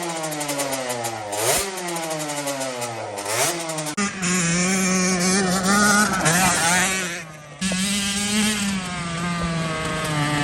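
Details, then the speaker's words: Custom Honda TRX90 with rebuilt CR85 two-stroke engine on its third heat cycle, jetted with 40 idle and 110 main: crisp snapping revs, slightly flat with rpm hanging on blips, judged too lean, to be richened to 45 idle and 130 main. "We're gonna fatten her up a bit, boys. It's a little too dry for my liking."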